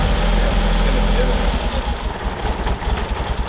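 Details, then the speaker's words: Audi S3 8L Mk1 with the AMK 210 engine, first start after sitting about 2.5 years once the battery was properly fitted. It catches and idles with a deep, steady beat, turns slightly uneven after a second, but keeps running on its own. "Oh, yeah, that's it. Yeah. Hey! Runs, she runs."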